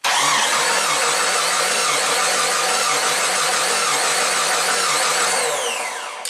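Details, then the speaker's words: 2001 Jeep Wrangler 4.0L, second engine, 379k miles, running rough with low power despite new plugs and coil pack: cranked via the starter relay, the starter turns about three and a half beats a second in a lopsided rhythm; one cylinder has near-zero compression. "so looks like one cylinder is completely Mia like zero compression we're very close to it"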